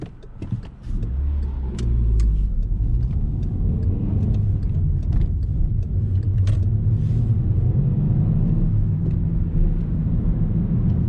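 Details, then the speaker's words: 2013 Skoda Yeti while driving: low, steady droning hum that climbs in pitch with road speed, from worn wheel bearings on the left front passenger side. "and as you may be able to hear the wheel bearings are pretty much gone on the left front passenger wheel side so but other than that it drives fine"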